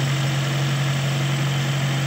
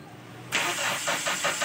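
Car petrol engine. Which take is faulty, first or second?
second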